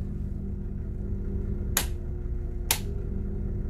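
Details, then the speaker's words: FCC Starter LE bus, auxiliary boost pump added alongside the diesel Webasto heater, switched on: faint, steady low hum under two sharp clicks; the pump running normally. "Ça c'est le bruit de la pompe de relance. Puis vous entendez, ça c'est la pompe de relance."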